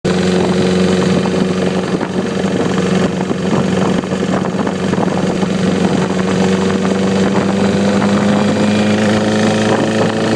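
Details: 2009 Repsol motorcycle idling: steady drone with a light, fairly quick ticking; cam chain tensioner (CCT) replaced but noise remains, cause unknown.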